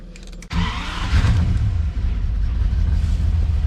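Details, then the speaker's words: Ferrari 400GT after distributor retimed and carburetors installed: fires and drops into deep idle that mostly holds with a slight uneven lope; running much better but still a little rough, needs more tuning. "but it's running a lot better still a little rough still needs a little bit tuning"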